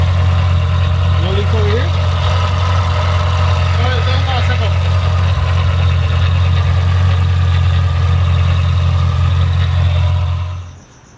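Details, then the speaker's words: Car with newly installed used Magnuson supercharger: deep steady idle holding an even low rumble with no misses or stumbles; running good. Normal idle. "as you guys saw on the take two it fired right up and yeah this thing's uh it was running good"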